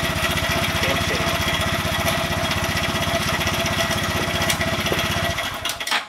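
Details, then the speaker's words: Honda Grom engine after rebuild with new piston, head, cylinder and high-flow oil pump: quick, even single-cylinder putter at steady idle with no knocks or rattles, then clean shutoff; running normally. "work now sounds quite sounds really good"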